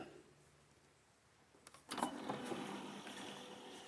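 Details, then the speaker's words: Brand-new 8 ft Minn Kota Talon shallow-water anchor, strapped to the boat and deploying fully: electric drive whirs with a thin high squeak partway out, seemingly from dry rubbing of the sliding arms; quiet in the garage, squeals on the lake; retraction otherwise silent. "you'll notice right there it squeaks and it sounds like it's something to do with this rubbing or maybe on the opposite side rubbing"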